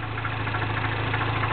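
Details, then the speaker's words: 2008 Mini Cooper Clubman S 1.6 turbo, 6-speed, MagnaFlow stainless cat-back exhaust, at cold idle: steady hum with a fine, quick metallic rattle. Source unconfirmed; owner suspects the cam timing chain tensioner. "but that little like rattly I'm pretty sure that that's the uh something to do in here with the timing for the cams the tensioner"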